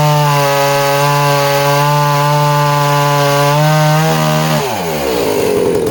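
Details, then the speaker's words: Danarm 36 "hot rod" chainsaw with stainless steel exhaust, cutting wood: high steady buzz holds pitch through cut, drops as bar frees; intermittent off-load misfire disappears under load, strong running. "wow well surprising isn't it even with that uh intermittent misfire when she's kind of offload the minute the engine's loaded up the misfire seems to disappear that's really interesting as well"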